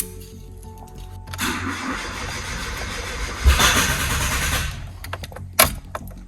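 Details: 2013 Hyundai i10 1.2 with replacement engine, first start attempt with brake cleaner sprayed in the intake; starter churns about three seconds with a few uneven bursts but never catches; cranks but no start.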